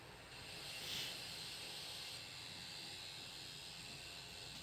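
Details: Alienware Aurora R7 850W power supply: steady high-pitched hiss with faint whistling only when the GTX 1080 reference graphics card is under gaming load.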